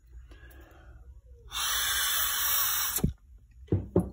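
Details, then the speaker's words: Cheap replacement secondary air injection check valve for a 2002 BMW 330Ci E46, bench-tested by mouth: a steady airy hiss for about 1.5 seconds when blown from the wrong side. The valve leaks backward and is not working. "you can hear air coming out of this one so the check valve is actually not working"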